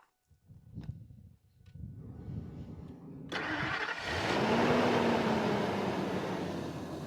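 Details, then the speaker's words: 2001 Ford Excursion 4x4, V10 petrol, after full tune-up and new battery, running Valvoline Restore and Protect 5W30: short crank, fires cleanly into a steady, even idle with deep exhaust note, no ticking or knocking; normal cold start and idle. "Yeah, it fires up and runs nice. We'll go ahead and fire it up so you guys can hear it. She's been running really good, solid, starts up every time."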